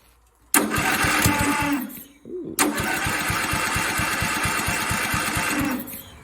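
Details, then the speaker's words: Old lawn mower engine, not the factory motor: cranking chug, sharp backfire pop as it catches, then rough fast single-cylinder thumping as it runs. "backfire all right I got it running here check this out"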